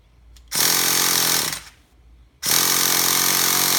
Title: Traxxas TMaxx 3.3 won't start. Help?